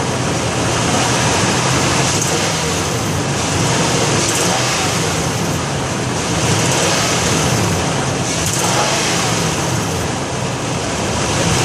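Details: 2008 Nissan Titan petrol V8 idling with a constant tinny, buzzing rattle over the engine note; the owner is unsure whether it is the heat shield or a broken catalytic converter.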